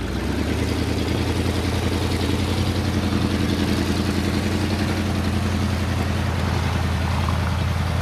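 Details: 1978 Ford LTD, still cold after a -10°F start: steady, slightly raised idle with an even low drone and no misses, engine sitting on fast idle.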